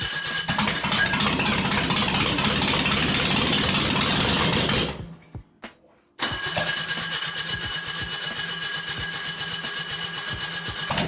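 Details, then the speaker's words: Loud but steady start settling to an even idle with no misses: a $30 used junkyard engine swapped into a Zaporozhets, first run after a new distributor and a new distributor cap (center contact was missing), before head retorque and valve adjustment. "it fired up loud as hell but it was cool now that we know it runs time for finishing touches"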